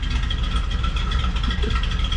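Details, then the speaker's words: 1987 Coachmen Class A motorhome big-block V8 idling after exhaust manifold and pipe repair: deep, steady, even lumpy rumble with no ticking or puffing at the manifolds; apparently no leaks at manifold or downpipe. Normal idle. "I don't think there's any leaks in exhaust manful or the pipe com"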